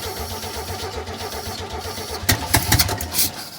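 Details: 1971 Chevy C10 V8 that hasn't run in years, hot-wired past the ignition straight to the coil after cleaning a corroded connection to restore spark, fuel poured in: steady starter cranking, then sharp catches and rough firing as it starts and runs.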